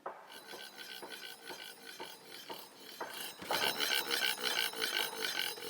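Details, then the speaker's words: iScooter iX5s electric scooter (1000W hub motor) after owner installed the wheel himself; faint scratchy rasp about three times a second as the wheel turns, no motor noise; owner suspects he slightly bent the brake disc during installation, so disc rubs pads. "I think I may have bent the disc brakes a little bit because you can"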